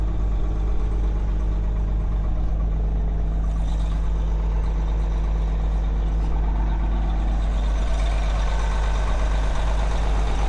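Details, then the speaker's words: Caterpillar 18M3 motor grader diesel warming at idle after a cold start, with sub-zero transmission and hydraulic temperatures and a steering fault from the hanging steering cylinder. Deep, steady rumble with no misses or knocks. Normal idle. "Now, I'll let the machine warm up while I wait for the mechanics to arrive."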